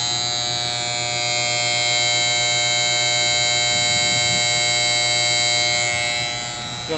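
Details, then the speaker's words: Outdoor A/C condenser, previously buzzing and not starting because ants fouled the contactor; after cleaning and filing the contactor, steady electric hum with a high whine as compressor and fan pull in and run evenly, no chatter. "make sure the compressor turns on, and we got it on."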